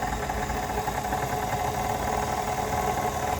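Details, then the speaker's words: Brand-new, never-used KitchenAid Artisan 5KSM175 mixer: a steady motor drone with a coarse, uneven rumble instead of a smooth hum, as if internal parts are fighting; one part also has noticeable play. Rough running noise. "On dirait qu'il y a quelque chose à l'intérieur qui... Les organes à l'intérieur, on dirait qu'ils sont en train de se disputer. C'est pas fluide."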